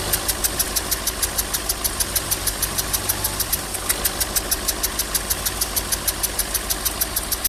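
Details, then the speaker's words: Engine with a damaged valve seat causing compression leak in a cylinder: idle with steady uneven pulse about three beats a second, stumbling like a failing spark plug; cylinder misfire from leaking valve seat. "Si un asiento está dañado, existe fuga de compresión por algún cilindro y al momento de que funciona el carro se puede sentir como cuando falla alguna bujía."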